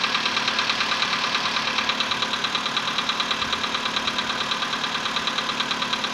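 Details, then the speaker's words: VW Polo Sedan, CFNA petrol engine, 105,000 km, before decarbonizing: cold start at 20°C after ~15 hours parked; sharp even knocking about three per second over idle; cold piston knock that is fading. "Продолжает стучать, но стук уходит, и через минуту его совсем не будет."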